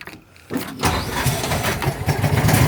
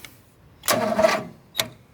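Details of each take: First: Warm John Deere 225 riding mower engine after jump starting, with a suspect battery: a brief quiet, then it catches at once and settles into a steady, even run; a clean, normal start. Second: John Deere 225 being jump-started, five-year-old battery, starter possibly failing: a half-second starter groan dies, then one lone click. A failed crank, likely a dead battery.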